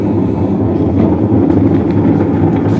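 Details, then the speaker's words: Whirlpool LSP780GP 7.8 kg top-load washer on spin: loud, steady low roar with no banging or heavy wobble; suspected causes are scraping, a loose screw or the motor bearing, not yet confirmed. "hindi naman siya maalog. Lakas. So maingay siya. Hindi naman siya masyadong nagwiwigil."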